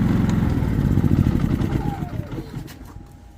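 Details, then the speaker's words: Predator 3500 generator chugging unevenly with a ragged, stumbling, sputtering beat that fades out; rough idle and hard starting caused by a clogged, carboned-up spark arrestor. "so if you have sputtering will not start very rough idin then this is what you want to check out"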